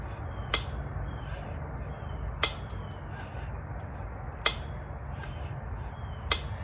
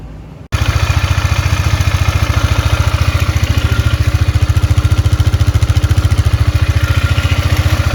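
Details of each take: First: 2002 Polaris Magnum/Sportsman 500 with smoking and knock, gas tank and clutch cover removed: crisp single ticks as the clutch is rocked by hand; owner suspects the knock comes from the top end cover. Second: 2002 Polaris Magnum 500 ATV after top-end rebuild with a used cylinder and piston, previously smoking and knocking: even, steady thump of about 214 beats a minute with no knocks or clatter; engine running smoothly and quietly.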